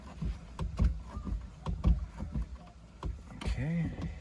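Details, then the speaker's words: OMC Cobra Volvo Penta SX boat engine, carbureted, primed, after distributor cap and rotor swap for intermittent no-start: slow uneven cranking thumps, then a rising note as it catches and fires cleanly; successful start. "what do you think looks like we got a good successful start"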